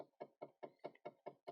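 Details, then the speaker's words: 2013 Dodge Charger SRT8 (modified, ProCharger, no-crank complaint), key on: quiet even clicking about five per second, eight in a row, from the HVAC blend door actuator during its self-test; actuator has an issue. "that is a hvac blender if you can hear that in the background that is an hvac blend door going through its self-test there's actually an issue there but that's not the point of this video"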